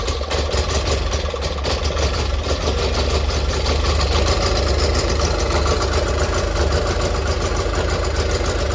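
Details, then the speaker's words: Gravely 817 tractor started cold before the first 2024 snowstorm, fuel pump primed about a dozen times; settles into a smooth, even idle with steady low rumble, no misses or knocks. Normal idle. "oh listen to that Pur listen to the pur of that only cck that is music to my ears oh man that's aome woohoo yeah baby yeah"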